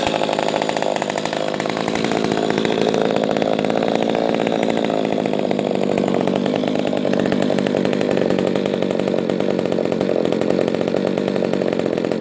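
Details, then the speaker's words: Echo 280e top-handle chainsaw, first start after about 10 years unused; steady high-pitched buzz with no sputter or surging and a good idle. Normal running. "she sounds good I love that sound it's a nice deep sound for a small small saw yeah she runs good"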